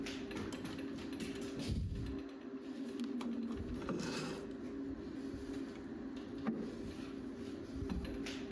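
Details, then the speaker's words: Small, non-rigid lathe turning EN19 steel on a bent fence post auger repair: thin steady ringing tone over quiet cutting hiss, tool chatter from lack of rigidity on tough material. "And it gets particularly bad when running material this size and also of this grade. EN19 is quite tough to machine. So, you will hear a lot of chatter."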